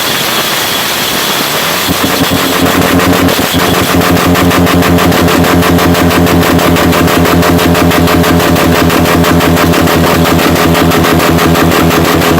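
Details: Subaru four-cylinder derby car engine with two loosened rod bolts and a failed clutch: loud, hard hammering knock about three times a second over a rough-running engine; rod knock leading to engine failure.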